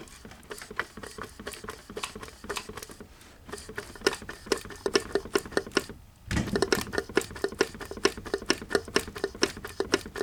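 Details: 1982 Mercedes-Benz 240D, OM616 diesel, 259,000 miles, turned slowly by hand: sharp, regular tapping about twice a second from No. 3 cylinder; piston slap from a broken piston skirt, pieces found in the sump on strip-down.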